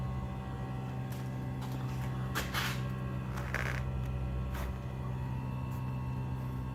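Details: New Trane furnace heat pump refrigerant line humming: steady low hum near 120 Hz with faint clatter; line suspected vibrating against the joist or band board, not confirmed.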